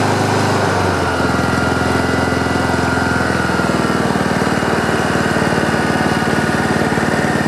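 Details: Free Honda HRM215 lawn mower after carburetor cleaning, pull-rope repair and fuel line clearing: small engine catches after a second and settles into steady even running. Some smoke afterward, muffler squeal at shutdown, rear-wheel drive still won't engage.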